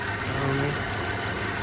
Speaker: Yeah, but definitely runs good. Love it.